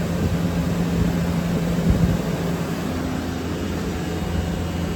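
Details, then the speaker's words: Walk-in cooler condensing unit as contactor pulls in, cooler down to 38 from 48: steady low hum with even fan rush, no rattles or strain; running normally. "Contactor pulls in, rolling."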